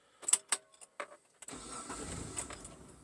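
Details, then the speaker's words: 3rd-gen Mitsubishi Montero (Pajero) starting: key clicks, engine catches and settles into a soft idle that sags low right after start, a first; previously idle dropped low once warm; cause unknown. "the idle is low on the start oh there we go that hasn't happened yet that's the first time"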